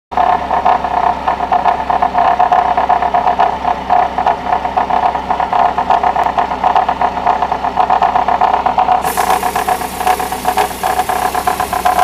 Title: mercedes W210 classe E (E200) bruit moteur